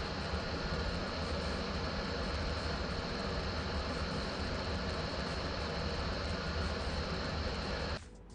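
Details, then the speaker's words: PS4 Pro console fan spinning flat out with a loud, steady, jet-like roar, then cutting away; excessive fan noise before cleaning and thermal paste service. "ini adalah contoh kworb pro yang saya dapat demikian ini bule dengar sendiri bunyi dia ya memang bising ya"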